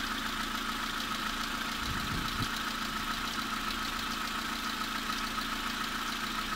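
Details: VW Polo 3 engine, bought and installed, with ticking after installation: fast light ticking, about two ticks a second, over a steady idle, reportedly present when cold and fading later; top-end tick of unknown cause.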